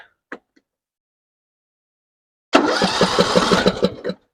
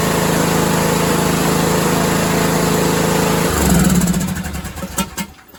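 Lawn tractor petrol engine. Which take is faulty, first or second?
first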